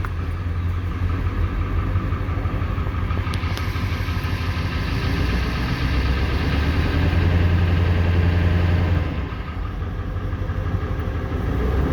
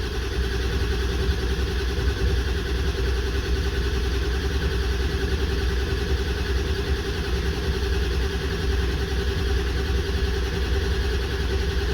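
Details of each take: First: 1994 Ford 7.3L Powerstroke pickup that sat 4–5 years without running: steady deep cranking drags on about ten seconds before it catches. Injection control pressure is building too slowly while cranking. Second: 1994 Ford 7.3L Powerstroke diesel pickup, sat 4–5 years, after fix for long crank (earlier no-start from bad mechanical fuel pump), now running: steady low diesel clatter at even idle, no knocks or stumbles; engine running normally.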